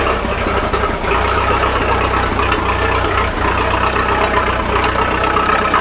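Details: 1941 Fordson Standard N tracked Roadless tractor, started on petrol after choke, idling cold while warming up before switching to TVO: even, low thudding idle with a steady beat, no knocks or misfires; normal healthy idle.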